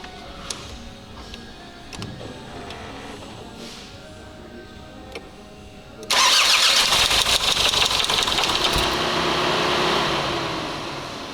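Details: 2004 Mazda 6 2.0 MZR-CD diesel, original engine: quiet cranking, then once it fires a steady hard rapid knock rides over the idle; valvetrain first suspected, but the engine proved knocked out and was replaced; a broken oil-pressure sensor wire was found.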